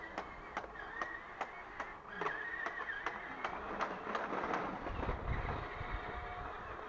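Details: 1:10-scale RC HL Toys SW HL 3058 bulldozer power scraper on a fixed rear axle, struggling on grass: light clicking about 2.5 times a second over the motor whir. Owner suspects the fitted rear gear is slightly too small and slips under load, giving gear rattle.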